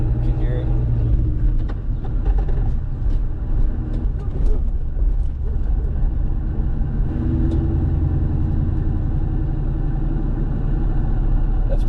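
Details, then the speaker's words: Supercharged Ford Mustang SVT Cobra "Terminator" daily driver, camera placed near the manual transmission, driving very slowly under 2,000 rpm; low even drone with faint soft whine over road rumble, which is normal for this transmission. "There's always like a little wine or like a low pitched wine when you're going really slow with these transmissions."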